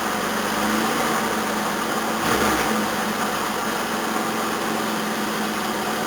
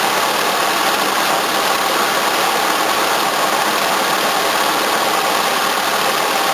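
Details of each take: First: 1981 Toyota Corona RT132R, 18R-C engine, cold start about 10°C, choke turned down one stage: uneven, lumpy, shaking idle, bonnet wobbling; valve clearances found too tight, almost no tappet movement. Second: 1981 Toyota Corona RT132R, 18R-C engine, after tappet adjustment only, no tuning: smooth, even, faster idle with steady hiss, water pump audible, no stumbling or shaking; normal idle.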